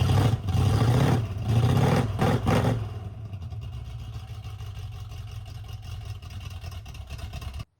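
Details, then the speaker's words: 1978 Ford Bronco after sitting decades, with new intake gaskets and a carb rebuild (broken needles on over-tightened mixture screws), just started: a few sharp throttle blips, then a steady, even rumbling idle without stumbling; running normally. "The engine is completely together, running. It's ready to go."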